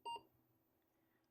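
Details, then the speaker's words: Apple IIe with disk II controller and RAM expansion powering up: one short clear high beep then near silence; normal startup tone. "I mean, I could plug it in and just let you guys hear the startup sound."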